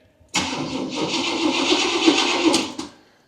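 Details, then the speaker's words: Abandoned 1977 Camaro RS, first key-on in years on a jump box: about 2.5 seconds of steady starter churning with no firing, then stops. Cranks but won't start; gas tank believed pretty much dry. "Look at that. Cranks over. Wonderful. So that's telling me that this gas tank is pretty much dry."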